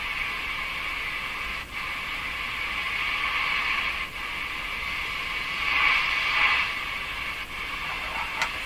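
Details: Hallicrafters S-40A shortwave receiver: each tap on the set jolts the steady hiss and sets off a brief howl, the same on every band, microphonic oscillation. The owner suspects a contact issue in the tuning capacitor.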